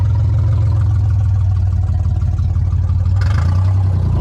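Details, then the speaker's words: Nissan 300ZX (Z32) convertible six-cylinder at its first start in the project: a steady, even low rumble with no misses or stumbles. It idles smoothly on all six cylinders. "it sounds like we're firing on all eight all8 who do I think I am driving a V8 sounds like we're running on all six"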